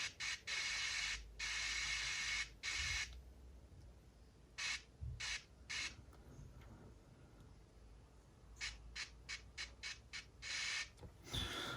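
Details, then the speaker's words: Aiwa HS-JX50/JX505 cassette walkman with electrolyte-damaged PCB tracks, playing very quietly: playback cuts in and out in irregular bursts with dead gaps, an intermittent loose contact traced to a cracked coil solder joint, later resoldered. "very strange thing you can hear that in one second we have somewhere loose contact right"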